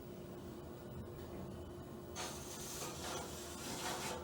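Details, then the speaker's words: Otis Series 5 hydraulic elevator, installed 2008, hotel: quiet hum turns into harsh rasping scrape as the door moves; noisy door operator, cause unknown. "Door operator, this one isn't too good. You guys heard how it slammed."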